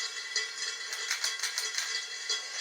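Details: Beat-up Harbor Breeze Lansing ceiling fan on high: dry, uneven rattling ticks several times a second with no deep hum; something loose inside. Owner suspects a bad capacitor or a worn-out fan, unconfirmed.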